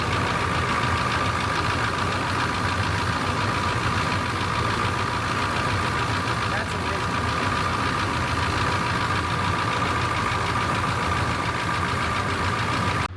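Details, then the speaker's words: Cold 6.2 Detroit diesel Suburban at about 25°F, smoking heavily, during manual glow plug button work: even mechanical clatter and a steady tick at idle, running smoothly with no misses; normal cold diesel clatter. "But yeah, she's cold if you can't tell. She's smoking like a son of a gun. You can hear all that mechanical stuff in the engine, dude. I love that."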